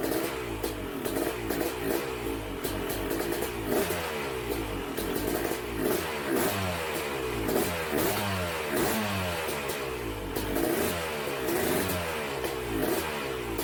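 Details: Freshly assembled BRC 500 single-cylinder engine, spark plug gap temporarily at 0.012 in: catches and revs up and down cleanly, steady firing with no misfires or knocks; runs properly.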